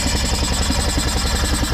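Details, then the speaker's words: 2010 Arctic Cat 700 H1 fuel-injected ATV, 250 miles, after a tip-over no-start: steady, even idle with no misses or knocks once the stuck-open throttle was freed; the computer is suspected of misreading the throttle position. Normal idle. "okay so the throttle just got stuck when the guy dipped it so that kind of seems to be our only issue here"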